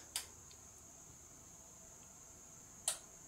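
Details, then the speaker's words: Mini trophy truck with motorcycle engine, cheap eBay ignition fitted: two sharp relay clicks about three seconds apart at key-on, no pump hum following, FI light turns off; relay switches but fuel pump not priming. "FI light just turned off so fuel pump still isn't priming but as a relay is doing something"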